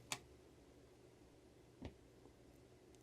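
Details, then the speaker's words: Budget amplifier board on a bench power supply, no signal source, quiet room: a sharp pop then a softer pop when switched off, no hum between; it gives three pops at turn-on. "it makes a light pop when I turn it off."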